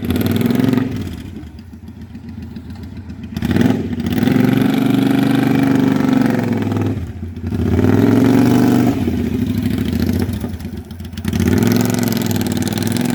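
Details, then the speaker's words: Used 2012 Triumph America twin, about 20,000 km, with short "Cocktail Shaker" exhausts: loud deep lumpy idle swelling on each throttle blip and settling back cleanly; healthy engine, very loud pipes. "It's got fairly short pipes on it right now, so it's really quite loud."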